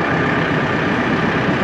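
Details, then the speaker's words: Tractor driving a newly bought used Fecon brush mulcher, which appears to be leaking fluid; steady, even roar with no knocks or surges, mulcher spinning smoothly: normal running. "yeah it does real smooth"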